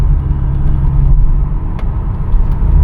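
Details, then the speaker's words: 2008 BMW E83 X3 on a test drive at road speed: heavy, steady low drone as a severe vibration through the floor makes the body resonate. "So, the vibration at times is so severe that it rattles the body so hard that you hear the body vibrate. And the vibration of the body is what's causing the noise."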